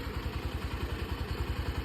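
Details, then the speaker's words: Bajaj Pulsar NS200 engine on self-start: quick, even clattering pulses, about eight a second, over the idle; a loud abnormal noise from the engine side, cause unknown. "तो भाई सुना आप लोग ने बहुत ही गंदा सा नॉइस आ रहा है।"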